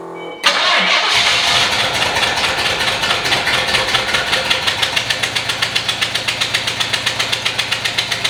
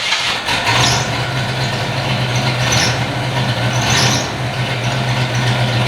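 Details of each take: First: 1993 Fox body V8 that had not run in years, after vacuum lines were replaced and capped: lumpy, uneven running with a steady stumble about four times a second. Misfire, one spark plug wire was disconnected. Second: 1993 Fox body V8, not run in years, with vacuum caps fitted and the spark plug wire reconnected: catches and holds a steady, even low idle hum with no stumble or skip. Normal idle on all eight cylinders.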